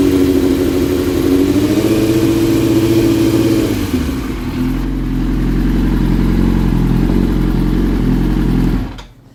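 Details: 2005 Yamaha R6, about 19,000 miles, idling: idle hangs high and climbs for a few seconds then sags to a lower, uneven beat; idle surge with intermittent misfire, sometimes sounding like a V-twin.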